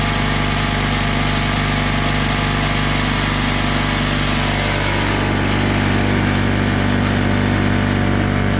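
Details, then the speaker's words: Craftsman oilless air compressor after a new drain valve was fitted: a loud steady buzzing drone that drops slightly in tone as tank pressure climbs to 40 psi; even, uninterrupted normal running. "okay so that's up to 40 psi inside the tank"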